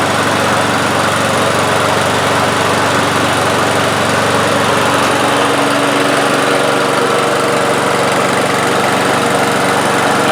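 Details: One-year-old 2024 Toro mower with Briggs & Stratton E-Series engine, automatic choke, started on the driveway after hitting a bolt and having blade adapter work done; even steady drone with no rubbing or banging, normal running.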